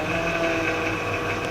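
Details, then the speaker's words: 2008 Honda Odyssey with engine running: steady hiss with thin high whistle whenever the steering wheel is turned, stopping when released, confirmed as a busted power steering pump, replaced afterwards. "i hope you could hear that every time you turn the steering wheel you can hear any hissing sound"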